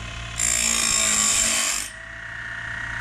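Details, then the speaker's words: Woodland Mills Grindlux 4000 sharpener regrinding old Lenox sawmill blades: a hissing, gritty grind of about 1.5 s over a steady motor hum as the wheel touches and cuts the bottom of the gullet properly; normal blade grinding. "So I heard a bit of resistance there. I heard a bit of grinding, a bit of this wheel touching the bottom of the gullet."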